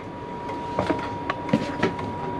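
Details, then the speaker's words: Chinese diesel heater running in an MDC XT12 caravan, fuel pump mounted on the wheel arch, burner under the seat; sharp dry ticks every few tenths of a second over steady fan drone, normal pump metering, owner worries it will disturb sleep. "anything i'm concerned about is this pump if you can hear that ticking away you wonder how you're going to go sleeping with that"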